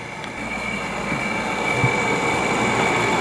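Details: Fan motor with failing bearings in a 5000 BTU Frigidaire window air conditioner in a 12x16 ft shop, 76°F. Steady whirring with a thin high whine and a faint rapid tick. Owner suspects a voltage jump after rewiring caused it.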